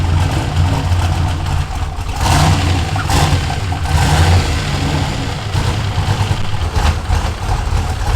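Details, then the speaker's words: Ford F100 with swapped turbo LS1 V8, first start: low, lumpy, hunting idle with occasional surges. It runs rough; the owner suspects a vacuum leak or tuning, not confirmed. "well it runs but kind of disappointed it seems to kind of run like crap i'm not sure if i got a vacuum leak"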